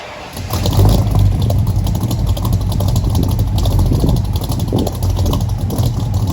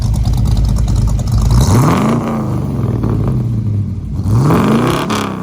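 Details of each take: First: 1964 Mercury Comet, first start of a freshly built engine with FloTek 180cc aluminum heads, Trick Flow Stage 1 cam, Victor Jr. intake, 1-5/8" headers, new plugs: rough idle with irregular stumbles; misfire that seemed ignition related, with some smoke. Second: 1964 Mercury Comet 302 V8 with FloTek 180cc aluminum heads, Trick Flow Stage 1 cam, Victor Jr. intake and 1-5/8" headers, after oil-consumption and misfire issues were sorted: two quick throttle blips rising and falling cleanly with a smooth, even exhaust note. It sounds healthy.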